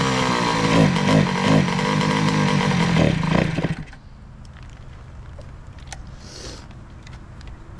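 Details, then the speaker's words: 2003 Kawasaki KX60 two-stroke on 40:1 premix, air-fuel screw at one and a half turns out; ragged, surging buzz that stumbles and dies after three seconds, still boggy. Owner suspects the carburetor, may replace it. "one and a half turns from slightly Seated on the air fuel mixure [Laughter] [Music] def still boggy so I guess at this point we're going to strap something up and take it for a quick ride"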